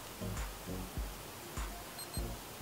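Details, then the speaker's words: Perun V2 Optical MOSFET in an airsoft replica, deliberately run on a partly discharged battery: two quick high-pitched beeps repeating about every 30 seconds or slightly longer. Low-battery warning. "mais on entend bien les deux bips prévenant que la batterie est arrivé un taux de charge assez faibles"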